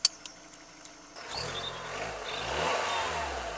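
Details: VW Lupo 1.4 16V after the misfire was fixed by replacing the pencil coil pack and clearing the fault codes; quiet at first, then it revs cleanly, its pitch rising and falling smoothly with no stumble or miss.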